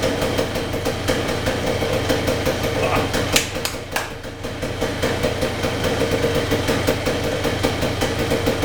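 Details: 1978 Yamaha DT175MX two-stroke, first start after full restoration with new crank bearings, seals, piston, rings and small-end bearing: crisp even ring-ding idle with a few blips, no knocks or rattles; healthy.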